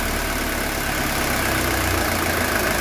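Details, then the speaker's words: 1982 Mercedes 240D diesel, after valve adjustment, idle raised a couple hundred rpm by shortening the throttle linkage: steady diesel clatter at even, slightly raised idle, no lope or stumble, not even engine vibration. Normal idle. "so look how smooth that's idling you guys see there's no not even a vibration on the engine"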